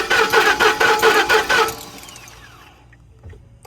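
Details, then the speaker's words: 2010 Ford F-150, 330k miles: rhythmic starter cranking, about two compression pulses a second, under two seconds, no catch; owner suspects a solenoid, possibly retarded timing; crank no start. "Watch, now it's not going to start. Right? Yeah. See, I told you it wasn't going to start because we done freaking."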